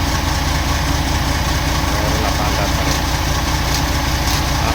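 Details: CAMC truck, CM6D28 430hp diesel, rebuilt after exhaust brake overuse broke valves, piston rods and rocker arms: deep, steady idle with an even beat and no knock or clatter; engine sounds healthy.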